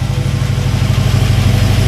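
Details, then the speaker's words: 1941 Buick Special straight-eight at its first start after sitting, on years-old fuel: smooth, even but fast idle with a deep, quick-pulsing hum; idle set too high and needs turning down. "oh we're going to have to turn that idle down some more"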